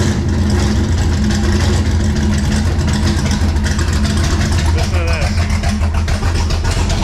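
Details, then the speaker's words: Drag wagon running cold with a little throttle: loud rough running with a sharp, rapid ticking puff that tracks engine speed, described as the most blown-out exhaust header gasket ever heard; cam and crank sensor issues also suspected. "This is probably the most blown out exhaust header gasket I have ever heard in my life."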